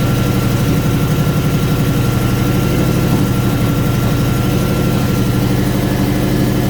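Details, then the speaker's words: Toyota Surf with 1UZ V8 conversion, coil wiring mixed up: deep, lumpy, uneven idle, running on about two and a half cylinders. Misfire from faulty coil wiring. "into the workshop as you can hear it's running on about two and a half cylinders"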